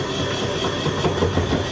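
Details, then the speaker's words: 1980-1996 Ford Bronco/F-Series power window motor running inside the door: uneven clicking and rattling over the motor whir while the window fails to lift and falls down; motor works but its internal gear is stripped. "The motor still works. The gear inside is stripped and you can hear it."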